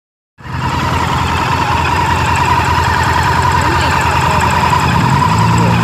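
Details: Honda Varadero 1000 V-twin ticking at idle, a light quick tick about three to four per second over the rumble; on deceleration the ticking follows engine rpm.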